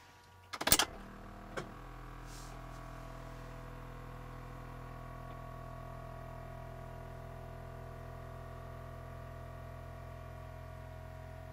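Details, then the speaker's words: Electric car's Thomas-type power brake vacuum pump, with vibration isolation, heard from inside: steady buzzing hum for about ten seconds, mostly a loose hood prop rod rattling from pump vibration. "that was pretty good the something's rattling around baking most the noise you hear there is from the rattle not the actual pump part to see what that is oops forgot about the hood prop I'll have to secure that in some other way"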